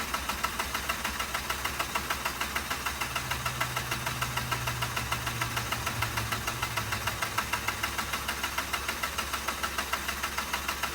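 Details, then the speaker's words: Mazda RX-8 rotary that shut off while parking and now won't start; it was kept on charge and is smoking a little. Steady, even cranking at about 200 per minute never catches; owner suspects flooding. "I was keeping it on charge while I was gone. Smoking a little bit. Just can't get it to catch."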